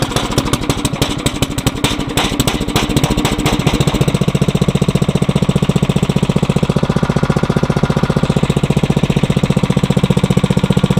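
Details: Briggs & Stratton 900 series engine, used about 2 hours a year, oil unchanged for a long time, cold start after cold nights with choke on and throttle cracked; a few rough firings, catches on first pull, settles to steady even idle. Normal cold start and idle.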